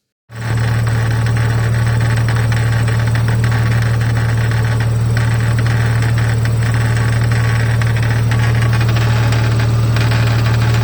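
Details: 2013 BMW F30 N55, warm after about 20 minutes' driving, idling with an irregular light rattle not tied to rpm, absent when cold: worn belt tensioner pulley at end of life, not rod knock.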